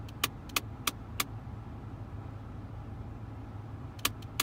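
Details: 2001 Mitsubishi Galant EA2A 2.0, noise began suddenly while on the highway: sharp plastic clicks in quick bursts of four, then pause, over quiet cabin hum from the climate control; broken heater/cooling flap actuator skipping teeth.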